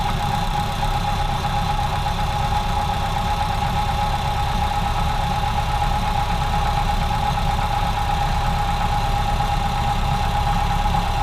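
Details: Ford Model A with a clogged fuel line, after about 3 minutes of driving: the old four-cylinder runs rough with irregular missed beats and a steady whistle. The mixture is too lean, causing misfires and explosions in the exhaust.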